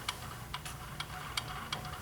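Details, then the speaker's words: Schwinn AC Performance Plus / Carbon Blue exercise bike flywheel spun backwards, where the noise is more pronounced: sharp clicks about twice a second over a low hum, indicating worn flywheel bearings; replace flywheel bearings and/or flywheel. "if you hear this type of clicking noise you will need to replace the flywheel bearings and or the flywheel"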